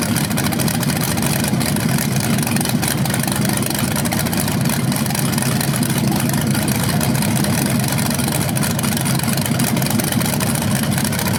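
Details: BluePrint 396 big-block crate engine for a 1970 Camaro SS, first outdoor run after oil priming and a timing check: deep, steady rumble at a constant fast idle, even firing, no tapping or misses; healthy, no leaks seen.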